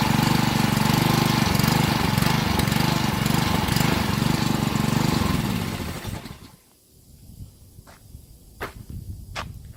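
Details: Honda 6 hp pressure washer engine, sat outside 2–4 years with suspected water in the gas tank, after oil, gas and spark plug change and carburetor cleaning: runs at a steady, even beat for about six seconds, then shuts down; runs fine.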